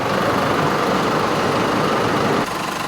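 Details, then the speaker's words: Holden Colorado diesel idling after an oil catch can install: even clatter, steady rhythm without misses or heavy knocks; healthy-sounding engine. "There's nothing to go wrong, so it's because I haven't done anything really."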